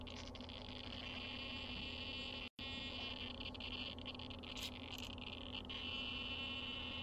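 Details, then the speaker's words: An RC car steering servo powered by battery gives a high buzzing chatter that continues untouched, with rough, uneven grinding as the wheel is forced, suggesting stripped or slipping servo gears. "I'm not touching it but now I'm going to touch the steering it does not go away you can easily hear this grinding let's listen as I forcefully turn this wheel"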